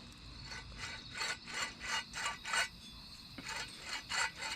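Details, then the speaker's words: Dodge Neon right front spindle turned by hand off the car: rough gritty rasp pulsing about three times a second, clearly worn wheel bearing; the replacement spindle sounds far smoother. "it's not supposed to sound like that and go get the other one"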